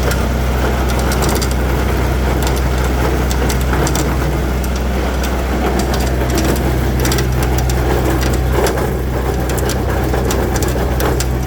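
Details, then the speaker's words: Massey Ferguson diesel tractor with snowblower, revved; loud, rough, gritty churning suspected from the snowblower gearbox through to the impeller, possibly a bad bearing, with the chain bouncing from shaft vibration. "listen to this that doesn't sound good I think it's coming from that gear box right there and going through to the impeller"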